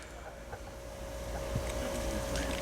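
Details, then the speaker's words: Nissan Titan XD Cummins 5.0 diesel just after a fuel filter change: faint, steady electric hum with some bubbling as the lift pump primes for about 30 seconds, normal fuel pressure priming. "You can hear bubbles. The fuel filter is changing. These prime for about 30 seconds."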